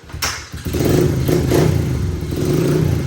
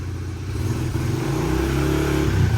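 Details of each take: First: 2004 Honda 70cc dirt bike after new intake and full exhaust, started cold and warming up: lumpy, uneven revs with some clatter, not holding a clean rev; bike seems tired after a trip, owner thinks the carb needs adjustment. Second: Honda CRF70, stock intake and exhaust before modification, exhaust pointed out of garage: starts first kick, settles into an even idle, then smooth clean throttle blips; runs great but quiet, healthy stock bike.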